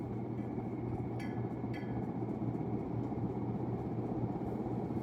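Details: 1991 unknown-brand 42-inch hugger ceiling fan, just installed, first run: steady low hum with a faint buzz, constant pitch, from the fan motor. The noise went away once the light was switched on; slight wobble.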